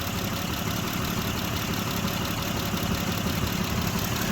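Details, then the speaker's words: 2006 Mitsubishi Pajero 3.8 litre with P0304, hard to start: uneven idle with a stumbling, lopsided beat as cylinder 4 drops out; disconnecting cylinder 4 makes no difference, confirming it as the dead cylinder; injector suspected, cause not confirmed. "Cylinder 4 is definitely a issue. Disconnecting that makes no difference."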